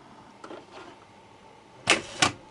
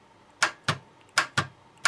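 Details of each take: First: Starter motor on the bench after cleaning rust off the ground plate and cleaning the brushes: series of sharp metallic clacks about three a second as the solenoid pulls in crisply, then the starter spins when positive is connected; solenoid working. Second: Starter on bench, switched via button: six sharp solenoid clicks in quick pairs with no cranking; solenoid pulls in but motor does not spin, traced to worn brushes with rusted ground plate.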